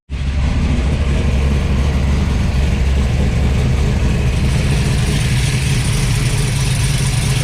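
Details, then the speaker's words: 1972 Dodge D100 V8 truck at first start after fitting a 3" X-pipe with Flowmaster F/X mufflers in place of 18" glass packs, heard from inside the cab: a deep, even, mellow burble with no ticking or puffing leaks. Normal idle. "More tolerable in here. Mellowed out some. That's kind of what I was after."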